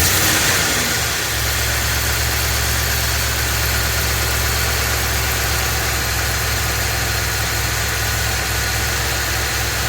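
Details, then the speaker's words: Ford F250 7.3L Godzilla gasoline V8 on a hot day, serpentine belt removed per a TSB, idling with slight load. Uneven rapid knock under a rough idle persists with the belt off, so it's internal to the engine; engine later replaced. "then he found the TSB where you take off the uh serpentine belt and to see if the noise is still there so this is the video clip of him doing that the noise is still present"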